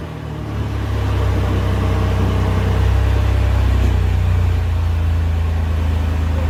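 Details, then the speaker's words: Ford F100 project engine at idle with no exhaust fitted, first start after installing the MAP sensor; no power steering pump whine heard. Loud, deep rumble settling into an even idle, quiet and healthy: normal idle. "i like it so quiet when it gets hell it's quiet at idle with no exhaust no exhaust on it right here this thing running then that's great"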